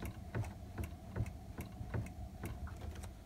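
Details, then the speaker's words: Mercedes R170 SLK convertible top, right rear of trunk: trunk lid open microswitch S16/19 being triggered by the trunk lid frame as it fully retracts; crisp, light clicks about twice a second from the lever snapping over, a healthy working switch. "we showed you exactly how this witch looks and this time we can show you how it gets triggered as the trunk frame comes down into its forward logic you may be able to hear the clicking"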